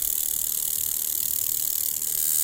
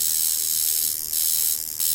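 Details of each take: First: Coil tattoo machine running at about 4 volts before tuning: a high, raspy, rattling buzz with a harsh, strong, uneven hit instead of a smooth sound, because the machine is out of tune. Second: Jaguar Beast coil tattoo machine tuned as a shader, spring tension set with a weighing scale to about 300–330 g, voltage raised a little above about 4 V: fast, high, steady buzzy hum hitting cleanly. Normal running.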